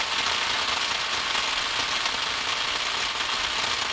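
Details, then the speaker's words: Ultrasound recording of a 13.2 or 13.8 kV air switch in a hospital unit substation: steady hissing, crackly rush with no clear rhythm. An air switch should be silent, so the emission is abnormal. "what was happening was this 13-2 or 13-8 kv switch had an emission that a technician sent he identified something suspicious and said will you take a look at this and let me know what you think"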